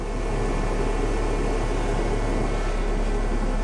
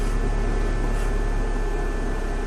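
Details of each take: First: 2005 Dodge Neon after engine mount and spark plug work (plugs were oil-soaked), now idling with a steady, even hum, no stumbles and no misfire light flashing; excess gas and oil remain in two cylinders. Normal idle. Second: 2005 Dodge Neon, engine running after a misfire fix, with oil in two cylinders: a steady airy hiss when the brake pedal is pressed. The owner distrusts the brakes and the cause is unconfirmed. Air hiss when the brake pedal is pressed.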